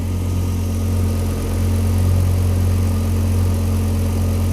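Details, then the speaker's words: Car after swapping in a replacement alternator, idling with the battery now charging at 13.6–13.8 V; drive belt checked and appears to run straight: deep, steady idle rumble with no squeal, chirp or flapping; normal idle. "ei tea, minule tundub, et käib täitsa otse."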